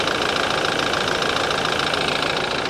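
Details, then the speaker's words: Small BMW petrol six at idle: steady idle with a sharp, fast ticking clatter much like a diesel, abnormally loud for a petrol engine; cause unknown. "it does sound like a diesel doesn't it this is one I take a chance on this does seem abnormally loud though guys any BMW folks out there listen to this"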